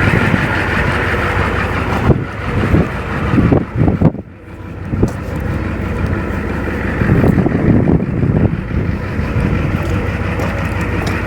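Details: Ford OBS one-ton dually with 7.3L IDI diesel, parked three years after transmission fluid leak, first start, idling up to temperature: steady low diesel clatter, even and unbroken apart from handling noise; engine sounds healthy after sitting.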